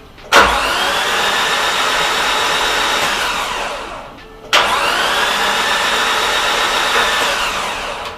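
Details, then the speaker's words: Nissan S13 200SX CA18DET with suspected blown head gasket, cranked with fuel pump unplugged: two even cranking bursts of about four seconds, steady smooth spin with no catches; healthy cranking. "That's a very healthy sounding motor though. Did you hear how nicely it cranked?"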